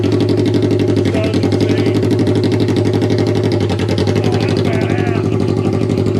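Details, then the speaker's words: Vehicle on a newly tuned VForce John ECU, cat cored, muffler removed, just after first fire: loud open-pipe idle with uneven choppy beat about four pulses a second; rough running, possibly from the new ECU. "yeah this is the first fire so it's going to sound kind of rough because it's on the new uh ecu too"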